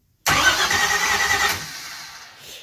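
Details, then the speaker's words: 1981 Camaro with hydraulic lifters set to zero lash, first start attempt: starter spins fast and light with no compression strokes, then dies away; owner suspects solid lifters were fitted, explaining earlier poor running. "that would explain why it was running like garbage before and why it sounds like that zero compression right now"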